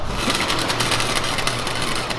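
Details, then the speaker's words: New, better MIG welder used on a Hellcat Charger 6-speed swap build: a steady, even frying-bacon crackle with no pops or stutters, a stable arc; normal MIG welding. "Listen to this welder, guys. Everyone was talking about he wasn't frying bacon. He's frying bacon now."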